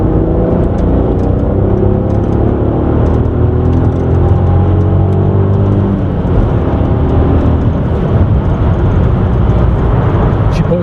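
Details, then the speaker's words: Audi A3 3.2 naturally aspirated V6, warmed up to 90 degrees, third-gear pull with standard exhaust; smooth deep note climbing steadily in pitch, no knocks or rattles; pulls nicely, healthy engine under acceleration. "pulls nice, sounds good as well actually for a standard exhaust."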